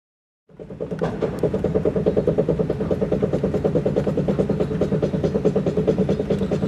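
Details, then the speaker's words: 1999-2004 Jeep Grand Cherokee WJ with 249,000 miles driving straight: steady rhythmic clicking thump about three times a second over road rumble; worn front driveshaft U-joint/CV yoke, not CV axle. "It's making this noise when you're going straight. That's probably not a CV axle. That's your drive shaft U-joints."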